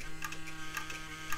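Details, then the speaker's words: Gateway E-3400 desktop at power-on: quiet steady hum with dry ticking chatter about every half second from the supply fan, which barely free-spins; worn sleeve bearing, flushed with IPA afterwards. Fan bearing noise. "Now that doesn't sound good. That is definitely that fan. I'm definitely gonna have to look at that."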